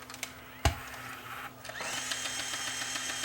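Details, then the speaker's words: Sony CCD-TR23 8mm camcorder rewinding after a backlight repair: rising rewind whine with faint repeating ticks from the gears, caused by a cracked hub. "I'm hearing a ticking sound. Almost sounds like there might be something in the gears."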